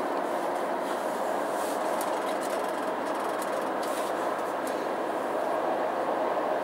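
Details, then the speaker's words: 2007 GMC Yukon Denali AWD, 6.2 L Vortec V8, about 175,000 miles, inside cabin cruising the highway: steady even road roar with no wind noise, whistle, thumping, shimmy or vibration; normal quiet cabin. "hear how quiet it is inside this yukon denali absolutely no wind noise no shimmies no shakes no vibrations"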